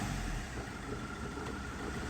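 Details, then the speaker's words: Tata Bolt started with the camshaft sensor connector unplugged, accelerator pressed: engine holds a flat, unchanging idle with no rise in pitch; revs won't climb beyond a low maximum, with no throttle response. "Game sensor connect பண்ணலை. வண்டியை start பண்ணிட்டேன். Accelerator அழுத்துறேன். இதுக்கு மேலே போகல. இதான் maximum போகுது acceleration."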